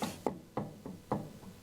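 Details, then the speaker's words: Harley-Davidson Electra Glide Ultra Limited, rear wheel rocked side to side by hand: sharp hollow clunks about three a second, disc and wheel moving separately from the ABS drive and axle; worn rear wheel bearings with play. "Right now, let's try what I think this is. It's that movement side to side. There it is."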